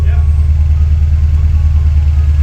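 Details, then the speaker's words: Written-off Toyota 86 from salvage, engine damaged in a front impact and rebuilt, first run: a heavy, lumpy low drone with an uneven pulsing beat as the engine vibrates badly at idle. Rough running, cause not confirmed. "however whilst yes it does run there's still a problem as you can see the engine's vibrating quite badly"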